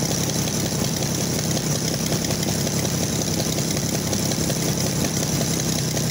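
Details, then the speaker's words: Oliver 880 tractor unrun about 23 years, running only with choke pulled out, bent pushrod noted: rough idle with sharp puffing ticks on every firing, loudest near manifold; exhaust manifold leak. "well i have to have the choke out for it to get enough gas to run of course you can hear that terrible exhaust manifold right there"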